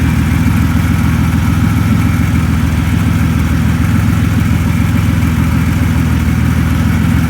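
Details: 2004 Buick Century idling after a custom replacement power steering return line was fitted and the fluid topped up: steady, even idle with a smooth low drone, no knocks or squeals; no leaks found.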